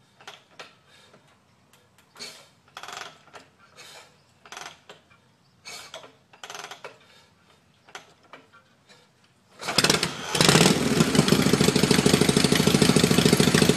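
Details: Magneto-ignition Shovelhead V-twin: about ten seconds of scattered, uneven start attempts that fail to catch, then it fires and settles into a steady run; hard starting.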